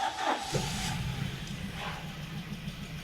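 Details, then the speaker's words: 2017 Nissan Titan 5.6L V8 at idle, parts already replaced without fix: uneven stumbling rough idle as if cylinders missing; no timing chain noise heard; sludge in valve covers suspected. "Well, it runs like a turd, dude."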